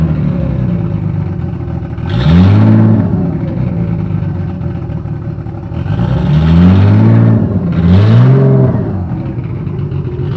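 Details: Nissan S13 with RB25 inline-six, stock with ARP studs: uneven idle between a few sharp throttle blips, the beat never settling. Rough idle, cause not yet found.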